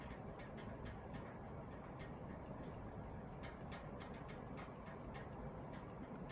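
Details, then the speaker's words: SMC 48-inch industrial ceiling fan, model M48, running: steady fan rush with faint, irregular light ticks as the loose bottom canopy bounces against the housing; a wire hitting it is also suspected, not the blades. "It's not that it's gonna fall, it's just the bottom canopy, no matter what I do, if I try to screw it in, it just does not stay in place. So that's just the sound of the bottom canopy kind of bouncing around against the"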